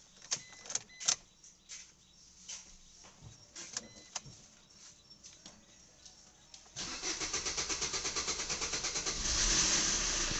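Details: Maruti Vitara Brezza diesel with a hard-starting complaint and engine noise: a long stretch of uneven starter churning with clicks and rattles, then it catches into a fast, rhythmic run. Long cranking; the timing chain is to be checked.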